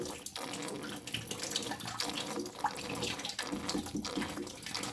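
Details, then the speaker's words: Potterton Promax 28HE combi boiler draining during expansion vessel replacement: continuous hissing trickle like a running tap, possibly water from a waterlogged, suspected failed expansion vessel; boiler had pressure loss, E119, over-pressure. "whether that's water coming out the expansion tank, which it could be, because that's exactly what it does, it expands."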